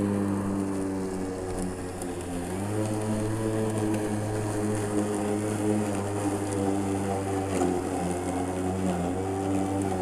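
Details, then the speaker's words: Makita 36 V (2×18 V) cordless mower, normally constant 2500 rpm: steady electric hum steps up in pitch entering thick tall grass then holds; normal load-sensing speed boost. "give this thing a little load test and see what happens so all right all right y'all here when i got that thick grass it reeled up"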